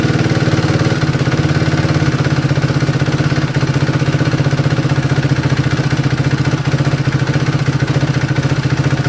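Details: 2011 Suzuki RMZ250 single, top end rebuilt 2–3 hours earlier: fast, light chattering tick over the low idle thump, still clear at low revs after a warm restart; owner first suspected valve clearance or a loose timing chain, but the cam timing was set wrong.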